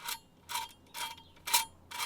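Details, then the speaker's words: Dodge Ram 3500 with NV5600 transmission during a 5.9 to 6.7 Cummins swap: the clutch throw-out bearing, spun by hand, gives a gritty, rough hiss in bursts about twice a second; dry, worn release bearing, to be replaced. "I don't think it's supposed to sound like that so [ __ ] came out black than me you know that's bad but anyways so we're going to get also get a new get a new throw bearing"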